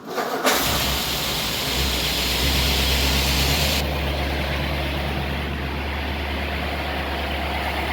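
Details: 1955 Ford Thunderbird, original 6-volt system, warm day 30°C, after cleaning rusted exhaust-heated bimetal automatic choke housing causing hard starting; cranks briefly, catches quickly, fast idle easing down to steady even idle: normal start.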